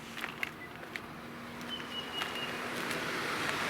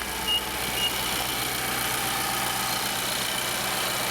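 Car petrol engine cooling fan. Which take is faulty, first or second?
first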